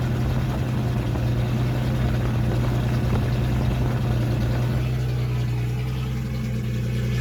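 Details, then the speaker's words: 1976 Datsun 280Z, first start after sitting four or five years, no exhaust fitted: loud raw steady low rumble, even idle, no knocks or misses; healthy; won't restart hot, owner suspects distributor. "well it definitely runs better than I thought it would it started right up"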